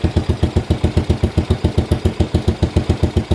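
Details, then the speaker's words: Postie bike motor, freshly rebuilt, in neutral, running after clutch adjustment: slow, even single-cylinder thump at about 220 beats a minute, steady with no knocks; deliberately set low idle, muffler split along its seam. "It's idling nice and low. I set it up that way."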